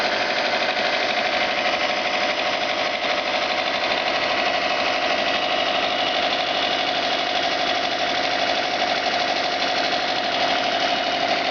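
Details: Subaru turbo petrol engine at idle: a steady, fairly regular knock about three times a second over a thin, tinny running sound; owner suspects piston, rod knock or bearings.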